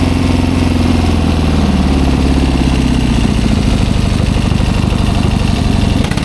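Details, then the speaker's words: 1972 Triumph Bonneville 650 twin, revived after sitting roughly ten years; with the choke now off, a steady, even twin beat at idle with no misfire or hunting. It sounds a lot better now. "Yeah, that sounds a lot better now that the choke's off."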